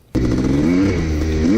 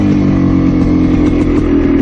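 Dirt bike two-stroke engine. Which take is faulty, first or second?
second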